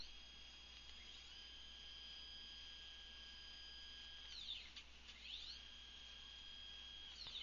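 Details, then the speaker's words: Stepper motors driven by a Gecko G-Rex, jogging at about 4000 mm/min at 1000 steps/mm (about 60,000 steps/s): two steady high whines at even pitch swoop briefly as the axes stop and reverse. Clean, normal stepper jog. "there you have four thousand millimeters per minute approximately and I should tell you this is running at one thousand steps per millimeter so that's about that's about sixty thousand steps per second"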